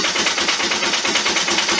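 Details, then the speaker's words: 1998 Polaris 500 single-cylinder, first fire-up after rebuild with new head gasket, camshaft and carb work: rapid, even putt-putt at about ten beats a second, steady with no misfires or knocks. It runs well. "now we're going to fire it up i'm going to show you how well it runs oh look at that"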